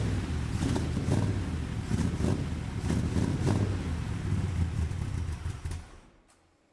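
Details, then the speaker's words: 1975 Chevrolet Corvette Stingray V8 on race gas, unknown carburetor from the attic: low, uneven loping rumble that never settles, then dies; carburetor or off timing suspected; rough running. "Try to figure out why this thing isn't running that great. I don't know anything about this carburetor other than it came out of a tote upstairs in the attic. So, it it could be the carburetor."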